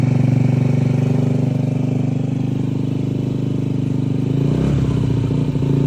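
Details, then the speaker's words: Used, modded 2003 Honda Ruckus, fuel line fed straight from a gasoline container after carb, battery, fuel pump and filter were replaced and the CVT cover cleaned: steady even single-cylinder putter at idle, slight wobble near the end; normal idle. "And yeah, I got her started. So, this is baby."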